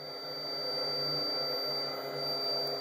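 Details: 400 W (800 W peak) inverter on an ultracapacitor power pack, about 130 W resistive load, voltage sagged to around 10.6 V: steady piercing high whistle over a faint hum, the inverter's low-voltage alarm before shutdown.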